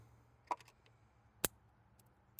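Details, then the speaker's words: 1956 Chevrolet 235 straight six, parked since 1989, ignition test: sharp, crisp snaps about once a second as a strong spark jumps a wide test gap; the coil and points work, though no spark reaches the cap. "That's jumping that giant gap. Hear it. So, that's working."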